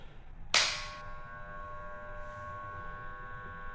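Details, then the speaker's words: Twin-tub washing machine spin motor (dynamo): at switch-on a click, then only a steady electrical hum, no spinning; runs only if turned by hand. Capacitor tested good; suspected broken winding inside the motor, to be opened and rejoined. "suaranya cuma berdengung ya cuy cuma berdengung. Kita coba putar ini manual. Nah, harus diputar manual dulu baru dia nyala gitu."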